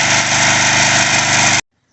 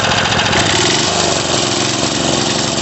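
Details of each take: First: Craftsman 3.5 hp edger/trimmer after carburetor cleaning, idle screw set about 1¾ turns: steady, even high idle with no surging or stumbling before shutoff; runs clean. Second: Craftsman 3.5 hp edger/trimmer that starts then stops, revved: small engine held at high revs but surging and stumbling unevenly; partly blocked carburetor starving it, needing disassembly and cleaning.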